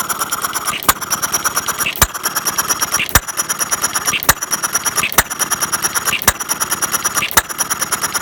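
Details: Half-scale Domestic side-shaft hit-and-miss model engine, 9-inch flywheels, make-brake ignition, gravity-fed fuel, set to run fairly slow in cold weather; sharp pop about once a second with light valve clicks, even and proper.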